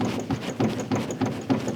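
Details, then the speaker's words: 1969 Plymouth Barracuda parked 27 years, front end worked hard on a lift: loud sharp pops about three times a second from a worn steering box, with a loose lower ball joint contributing. "That's part lower ball joint, part steering box that's giving all the trouble. You can hear that really loud popping. That's the That's the uh steering box."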